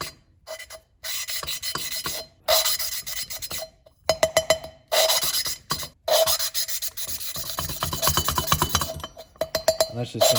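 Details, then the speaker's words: John Deere D105 mower Briggs Intek engine rebuild after dropped valve, used replacement head: gritty back-and-forth rasping of a valve being lapped onto its seat with Permatex compound. "just a little bit laughing compound and i'm just going down slowly don't do too much but you can hear it change"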